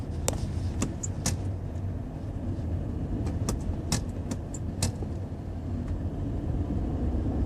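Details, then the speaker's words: 2016 Toyota Prius while rolling: scattered sharp ticks and light rattles over low road rumble, an intermittent recurring brake noise with no known cause. "Today is the October 26th, Wednesday, and there is the same noise from the brake."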